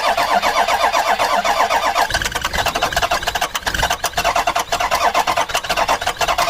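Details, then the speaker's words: Ford Super Duty with 6.0 Power Stroke diesel, cheap worn truck: steady rhythmic starter churning with no firing or catch, then uneven cranking continues; cranks but will not start. Starting fluid used next. "Alright, it's not wanting to do anything. Let me grab some starting fluid real quick."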